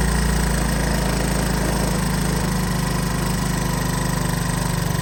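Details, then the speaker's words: Honda ATC 185 single-cylinder after carburetor adjustment for hard starting: steady, even low thump at idle with no misses or surging; idle sounds about right. "okay that sounds about right as far as Idle goes so let's see if this keeps running out of gas"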